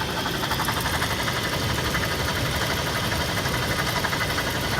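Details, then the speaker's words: 2005 Toyota 4Runner, two-wheel drive, 394k miles, idling: a light, fast metallic rattle over the idle, present only at idle, first suspected as a heat shield, traced to the failing A/C compressor, which needs replacement. "it almost sounds like there's a Matata metal like heat shield or something rattling or like it's coming from the AC compressor or something"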